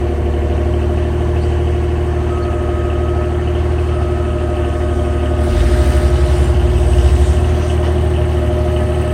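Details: 2009 Nissan Maxima V6 with a homemade exhaust leak, compared against stock exhaust: a puffy, uneven exhaust pulse at idle turns raspy and chuffing when revved. Exhaust leak.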